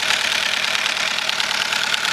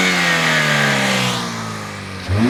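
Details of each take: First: 2007 Chevy Cobalt running candle wax instead of oil, oil pressure light on: harsh, sharp metallic clatter at idle; knocking from oil starvation. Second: 2007 Chevy Cobalt engine with oil replaced by 10 lb of melted paraffin candle wax, after running 5 to 10 minutes warm: picks up smoothly, revs briefly and settles back evenly with no knock or tapping, normal revving.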